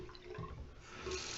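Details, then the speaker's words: Delta two-handle washerless faucet model 25770LF, about 10 months old, hot side squeaked; after replacing and greasing the O-ring, water runs with a plain steady rush, no squeal or chatter. Normal faucet flow. "Okay then you turn the water on and there's no squeak sounds the same as the other"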